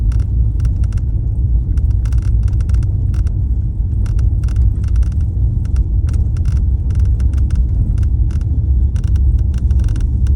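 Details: Mercedes-Benz S63 AMG driving: irregular light rattling clicks come and go over a deep steady road rumble, a loose rattle from the front axle and dashboard area.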